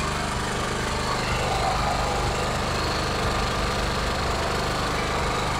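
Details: Generator running loud, raspy and rough with a hard pulsing bark throughout before repair; the leaking exhaust is making it noisy, and a client also complained of high fuel consumption.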